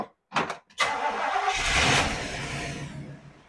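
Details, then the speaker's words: 1981 Jeep CJ-5 after transmission mount replacement to cure a first-gear clunk: a couple of short cranking bursts, then it catches cleanly and settles into an even run with no clunks; normal start. "still runs good"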